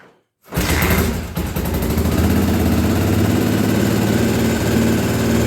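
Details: 1983 Honda XL600R first start after top-end rebuild (1mm overbore, Wiseco 11:1 piston, Megacycle stage one cam, heavy-duty springs, rebuilt carbs), primed by kicking: catches within half a second, loud steady even single-cylinder thumping, no knocks or misses; normal running.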